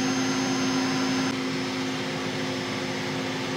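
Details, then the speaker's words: Tree Journeyman 325 CNC mill spindle set to zero speed, velocity feedback channel 20 near zero yet spindle keeps turning; steady mid-pitched whine only softens slightly: spindle creep at zero speed command. "yeah that's very close to zero now but the spindle is not stopped"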